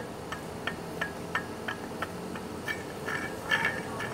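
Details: Perodua Kancil leaking coolant at the water pump gasket and pulley area: light, regular clicking about three times a second as the pump is turned by hand in the car, a rough, loose worn bearing with free play.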